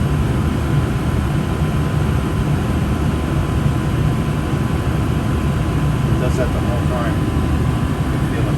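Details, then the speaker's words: Gas furnace with new Fasco draft induction blower (119256-00 / ICP 1014341 JA) spinning freely, main blower on; smooth even whoosh with low steady hum, no rattle, scrape or wobble: normal furnace operation. "relatively very quiet operation now this is great see how the motor is spinning right in there super silent it will be silent basically this is spinning freely"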